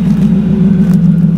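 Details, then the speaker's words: Honda EF sedan after repairing a vacuum leak, a broken line from near the fuel filter to the intake manifold replaced: smooth, even low hum at steady pitch, no misses or hiss; normal idle. "so we replaced it now this thing's running great sounds good"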